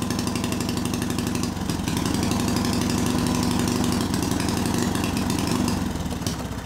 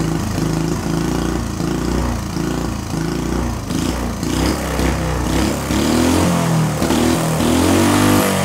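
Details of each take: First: Small see-through single-cylinder turbo engine on Amp-EFI and gasoline: runs unevenly with an irregular stumbling beat, then fades out; spark energy had fried the crankshaft position sensor, leaving the ECU with no crank signal. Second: Small see-through single-cylinder turbo engine on newly adapted Amp-EFI and pump gasoline, lightly tuned: thumps evenly and picks up cleanly on throttle blips with no misses or knocks; runs better than on carburetor.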